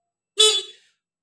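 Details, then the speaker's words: Yamaha Mio J scooter with dead electric starter, key on, engine off: one short, loud, clean horn toot with steady bright tone, no sag; battery is fine, so the starter motor brushes are suspected worn. "suara klakson dalam keadaan normal dan masih suara keras di bagian klaksonnya kita pastikan berarti di bagian akinya dalam keadaan normal"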